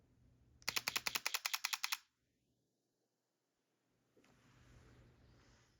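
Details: Sony A7C II with 40mm f2.5, mechanical shutter, 1/125 s, f2.8, ISO 2500: burst of about eleven crisp clicks sounding thinner than normal; owner suspects part of the shutter sound is played through a speaker, unconfirmed.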